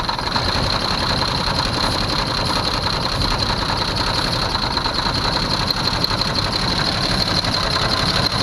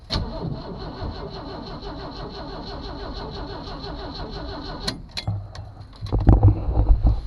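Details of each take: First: 1982 Jeep Cherokee carbureted engine, first run in years after brake clean sprayed in carburetor: even, steady running with a hissing top end, no knocks or misses. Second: 1982 Jeep Cherokee six-cylinder, first start attempt in years, battery hooked up with vise grips, out of gear: starter spins the engine with an even, rapid chug for five seconds but it never fires. Crank, no start; brake cleaner into carburetor next.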